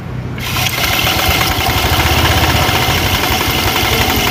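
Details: Honda Vario automatic scooter, loud idle with rough, uneven clatter about four times a second, smoothing with more throttle; suspected slack cam chain tensioner, decompressor also possible; CVT opened to check.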